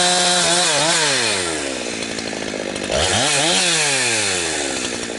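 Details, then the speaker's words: Husqvarna 362XP Special chainsaw with Walbro carb, cutting firewood. Revs climb in quick sweeps, then break into a gargling stutter near the top, four-stroking at the limit. The wrong rev-limiting ignition coil is fitted; it is most noticeable when limbing and fine near 9,000 rpm in big wood. "Where you really notice it is when you're limming. Uh it's not bad when you when you're dogged in if you're on a big piece of wood somewhere. I noticed that it uh your RPM range drops down into the 9,000 range or somewhere in there."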